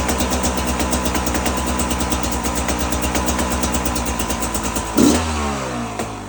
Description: Its doing the noise just in the initial RPMs, it doesnt do it in low or high rpms